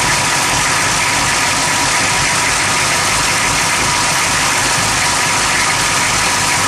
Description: rough idle at motor